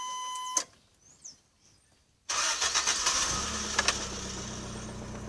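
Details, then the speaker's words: Warm restart of a 1976 Toyota Corolla TE31 engine after sitting about two hours since driving, engine bay still warm; dash chimes, then it catches at once and settles into a smooth, even idle. Normal warm start. "let me give it a start and watch it uh just you could hear it as it warms up my keys out all right and it's that it's been sitting here for about two hours"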